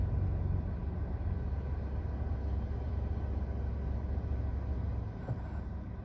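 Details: 2023 Axia: heavy low droning rumble fills the cabin, then eases off near the end as the AC compressor cuts out; very loud noise when the compressor disengages, cause unknown.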